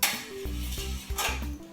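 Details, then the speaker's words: DIY camera slider with the carriage on a bare metal tube: a scraping metal clatter with ringing clinks, metal rubbing on metal. Cut plastic bushings fitted around the tube cure the noise. "What I did was I found some plastic bushings that I had to cut and fit it into around the tube, so that way I can avoid that sound. The difference would be metal with metal will sound like this,"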